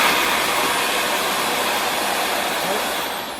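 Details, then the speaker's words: So the tissue's in there. That means the suction is good down there. "So the tissue's in there. That means the suction is good down there."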